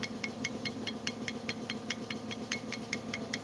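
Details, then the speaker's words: Honda Vario scooter engine, acceleration feels sluggish and held back: sharp metallic ticks about two and a half per second, slightly uneven, over the idle; something loose inside the engine suspected, not confirmed. "suara yang tadi saya curiga itu ini Bos kok suaranya ada yang aneh"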